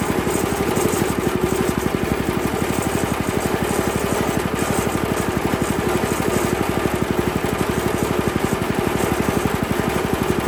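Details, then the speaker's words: Honda GX160 on a Workman 2 Multimixer cement mixer, idle mixture screw under two turns out: quick, slightly uneven single-cylinder idle about four beats a second with faint wavering; cause unclear. "all right so now it'll idle but as soon as you go to rev it up it falls on its face"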